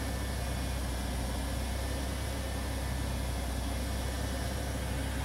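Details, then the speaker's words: 2001 Ford Taurus SES 3.0 OHV V6 after replacing a dirty fuel injector (code P0303), check engine light gone out: smooth, even idle with steady low hum and no stumbling or misfire; running fine. "so let me go out here and look at the engine okay it seems like the engine's running fine"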